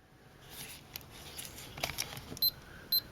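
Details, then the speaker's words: Nikon FG film SLR (circa 1982), shutter at 1/15 s: two short high beeps warning the shutter speed is below 1/30 s, too slow to hand-hold without blur. "um it will beep at you because it becomes hard to hold the camera beyond 130th ii still and to have non blurred images"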